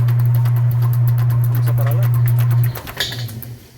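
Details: Whirlpool/Kenmore washer after reseating drive block nut that transmission jerk had loosened: steady low motor hum winds down and stops with no clunk or banging; drive sounds normal.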